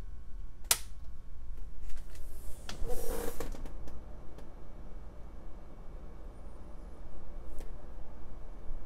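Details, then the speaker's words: Tektronix TM5006 power frame after swapping its original fan for a Noctua NF-S12A FLX 12 V fan on a 12 V LED driver; soft steady low hum with handling clicks, much quieter, normal. "so i think much improved and then i did test it with the uh the little attenuators and this makes it even quieter"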